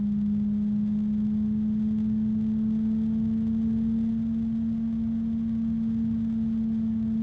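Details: ID-Cooling DashFlow 360 XT Lite AIO radiator fan at maximum speed: constant pure hum with a fainter overtone over soft airflow hiss, very quiet harmonic blade resonance.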